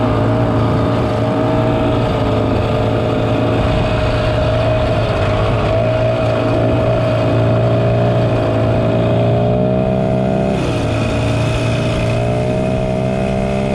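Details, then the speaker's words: 1967 Ski-Doo Alpine twin-track snowmobile, revived after sitting many years, running on its own fuel on a 75° day: crisp, even two-stroke buzz holds steady, picks up cleanly on throttle around ten seconds; healthy normal running. "dude. That thing sounds awesome, >> dude."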